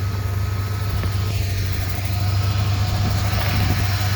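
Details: 1995 Ford F150 that wouldn't restart, after cleaning corroded battery terminals: steady even low idle rumble, no misses or knocks; idling normally.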